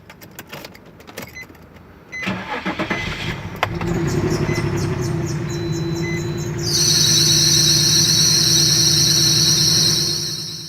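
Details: 2018 Chevrolet Colorado 3.6 V6: engine cranks and catches, then a steady piercing squeal rides over the idle without letting up; worn serpentine belt, replaced.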